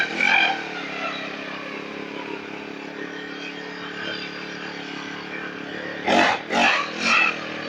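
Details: Small two-stroke lawn mower engine that would not start after long disuse, now repaired: settles into an even buzzing idle, then picks up cleanly with three quick throttle blips; normal running.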